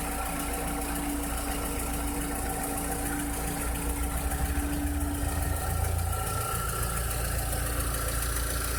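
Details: 2006–2007 VW SpaceFox engine at idle: a quiet idle with a faint, irregular light tapping over the engine hum; a strange engine noise whose cause is not identified.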